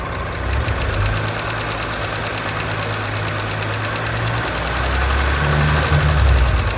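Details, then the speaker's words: 2017 Audi S5 (B9, EA839 V6), 67,000 miles, at idle: audible steady tapping on bank two, about four per second over a rough idle; suspected failed rocker arm, fixed by removing the engine and replacing the rocker arms. "So I can hear a quite audible tapping on bank two."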